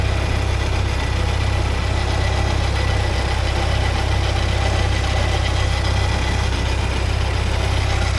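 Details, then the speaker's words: 1979 Porsche 924 idling with faint constant whirring hum over low rumble; owner believes the alternator is making the noise, later replaced it with a new one. "Anyway, I do believe that that's the alternator making that noise. So I think it's time to order an alternator for it."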